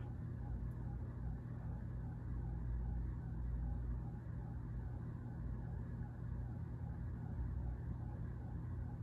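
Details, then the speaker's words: Vintage ceiling fan on high speed after oiling the top bearing, which freed it: a steady low hum with a slow swirling whoosh rising and falling about twice a second, a swirly bearing sound from dry, worn bearings. "okay kind hear the swirly bearing sound now I did give it a little oil on the top bearing which definitely freed it"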